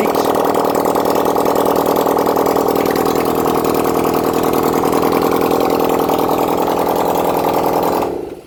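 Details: 1971 Honda CD175 K3 twin, first run during restoration: a steady, even beat at fast idle, about 200 pulses a minute, running cleanly for eight seconds before shutting off. Normal running.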